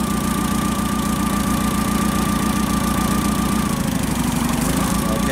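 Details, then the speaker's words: Caterpillar V50D forklift gas engine with hard cold starting, at idle during cylinder balance test; uneven, lumpy chug with a hollow miss every few firings as three cylinders contribute but one does not; dead cylinder misfire. "so as you can see all these three cylinders are contributing except for this one"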